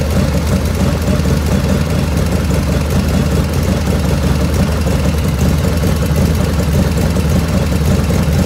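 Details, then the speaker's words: 1985 Harley FXR V-twin at warm idle after a float setting, about 49°F ambient: light, rapid ticking rides on top in time with engine speed and grows as the oil warms; owner blames the S&S hydraulic lifters, not oil restriction, with the rear intake lifter noisiest. "And as it's warming up and the oil's warming up, I'm getting more lifter noise. So I know it's not oil restriction or anything like that. It's lifters, it's those S&S lifters."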